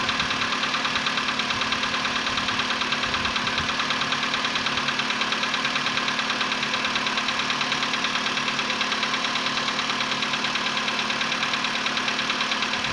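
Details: VW Polo Sedan CFNA engine, 105,000 km, cold start at 20 °C after sitting about 15 hours, before decarbonizing: fast, very regular light ticking knock about three per second over idle, fading within a minute; cold-start knock.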